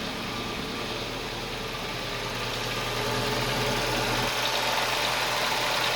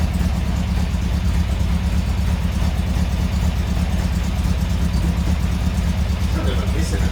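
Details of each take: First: Toyota engine idling after start once fuel pressure built up: smooth, even idle with steady rhythm, no knocks or misses; running cleanly and healthy. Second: Steady low idle with an uneven, lumpy lope about twice a second, sounding like a big camshaft; the owner thinks it is just a misfire, not confirmed.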